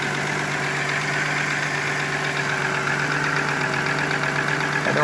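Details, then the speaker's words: VW Eurovan VR6 12V petrol V6 after timing chain replacement done in the van, cold start idling steadily and evenly; no chain noise and no hissing from a vacuum leak, before warming up. "don't hear any hissing sounds from a vacuum leak. So we're going to let it heat up."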